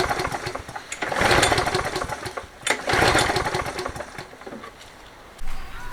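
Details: Toro 20789 mower, Briggs & Stratton Intek engine with hot-restart trouble, after new fuel line, filter and plug: catches, runs ragged for a second or two, surges, then fades and dies; spark looked good, carburetor suspected.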